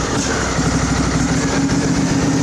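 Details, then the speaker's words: Craftsman riding mower, Briggs engine, throttle being opened slowly after stalling at full throttle: uneven lumpy running with irregular stumbles; owner suspects air leak at the fuel filter. "We'll slowly give it throttle. Well, it's got its issues. It's probably nothing we can't figure out."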